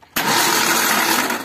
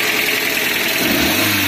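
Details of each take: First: Suzuki APV (G15 series) with a broken timing belt: a harsh, whirring, noisy starter that still works spins the engine evenly, but it cranks and never starts; the fuel pump still runs. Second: Suzuki APV (G15 engine) running after a sudden stall, being revved: engine climbs and falls through smooth revs over a hissy background, pulling evenly without misses or rattles; check engine light goes off, sounds normal.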